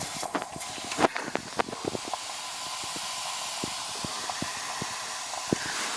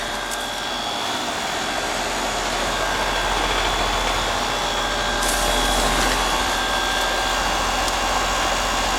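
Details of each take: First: Heat pump out of refrigerant with the condensing unit not running: steady hiss of gas escaping under pressure, plus handling clicks, from a rotted liquid-line filter drier at the king valve. To be replaced with a reversible drier mounted outside. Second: About 6-year-old heat pump in heat mode on a cold day, after a rotted liquid line drier was replaced and refrigerant restored: steady fan whoosh over smooth compressor hum, no knocks; suction about 61, acceptable, recheck on a warm day.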